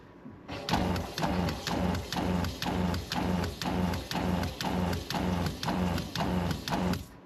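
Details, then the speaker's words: RV fresh-water pump, before installing the controller board, with air purged: rhythmic surging whir about twice a second, each pulse swelling and fading as the pump pulses on and off. "You guys can listen to this pump operation."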